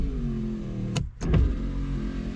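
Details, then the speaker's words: Rover SD1 2600R door: the power window motor whirs evenly, pauses, then runs again smoothly after the door was punched a few times to free it. The window now goes up normally. "a good punch on the outside door good few bangs and it's finally gone back up so it works now"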